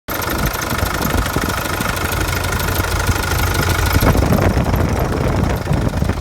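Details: 2005 CRD diesel engine after harmonic balancer replacement idles with an uneven knock of roughly three beats per second over the diesel clatter; engine knocking noise, source unknown.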